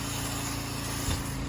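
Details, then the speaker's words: Roof-cleaning pressure washer engine drone with a smooth turbo-like whirr winding up as the downstream injector draws chemical through 100 feet of hose; normal injector draw. "It sounds like a friggin' turbo on a diesel truck or something. You hear it wind right up, and it hasn't been doing it."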